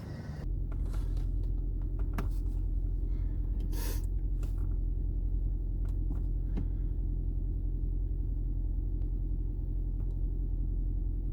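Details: 2010 Toyota Prius hybrid engine that had been rattling, shaking and misfiring, after replacing the EGR valve with a new genuine one and clearing codes: low, steady, even idle rumble with no misses or rattles; runs smoothly.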